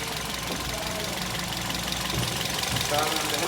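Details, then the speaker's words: Toyota GLi at idle before tappet adjustment, noise called clearly bad. Light, quick ticking rides on the idle and keeps pace with engine speed: valve clearances out of adjustment. "यह इसका sound जो है आप सन सकते हैं बिल्कुल खराब है और हम अभी इसके टॉपर बनाएंगे"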